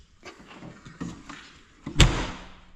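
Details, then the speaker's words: Door on a Case 600 forage blower, repaired so it latches: a few light rattles then one solid thud with a sharp metallic catch; firm shut, latching normally. Hold-open pin is broken, so the door won't stay open. "You can see that it's a pretty firm shut."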